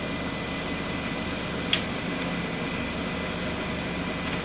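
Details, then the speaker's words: 2013 Dodge Dart idling after replacing a cheap engine mount that had failed within 9 months (cracking, separation); shifting drive to reverse, quiet steady smooth hum with no knock, clunk or vibration, so the new mount fixed it. "and I'm not hearing that vibration so this Mount here is definitely fix that issue"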